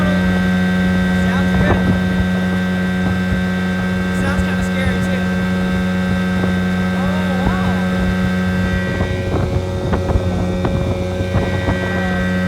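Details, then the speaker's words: 1980 Evinrude 15 outboard after a carb rebuild with kit, new water pump impeller and rebuilt fuel pump, on its first hole shot at full throttle: a steady, even drone holding one pitch over wind and water, with no misses or knocks. Running normally under way. "And this is going to be the first time we do a hole shot. That's full throttle."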